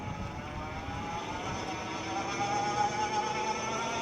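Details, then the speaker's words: Older Euphree Stellar Falcon e-bike on throttle up to about 24 mph, microphone on rider's chest: steady mid-pitched hub motor whine over road and wind rush, rising slightly with speed; ordinary, fairly loud motor noise. "All right, I think that's pretty representative of what the motor sounds like. Obviously, you can hear the motor quite a bit."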